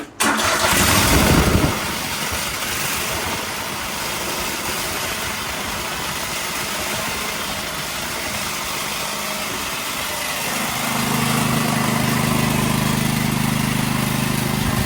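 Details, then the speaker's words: Craftsman DYT 4000 twin after engine repair, one coil disconnected to test: cranks and catches rough and lumpy, then settles into a lopsided steady chug running on just one cylinder. "As soon as I get it started, obviously we'll hear a difference if it is working, but I'm gonna go over to the other side and disconnect the other coil to make sure it still runs on one."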